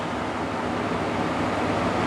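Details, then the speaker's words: GE 8000 BTU air conditioner running on low fan speed after the pin on the orange wire's connector was bent for better contact, fixing low-speed cut-out; steady, even airy whoosh with no shutting off or surging, normal low-speed fan operation. "All right, got it running on low. Yeah, I think that was it. It's not shutting off anymore."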